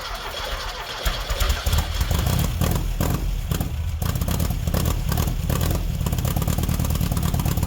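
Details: 1969 VW Baja Bug after an EMPI 2-barrel carburetor swap, cranking trouble traced to a bad battery connection: the starter cranks, the engine catches and settles into a steady, slightly uneven chattering idle; it starts and runs fine.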